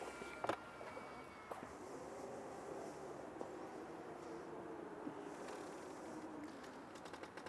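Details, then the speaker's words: Tesla Model X, a few months old, with a power door fault. The door motor hums and wavers, then sharp cracking clicks sound and the door stalls partway open. "Hört ihr das Knacken? Hört ihr das Knacken? Und das war's. Die Tür geht nicht weiter auf."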